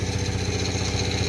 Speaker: You gotta give it a little gas. It's alive! Sounds good too.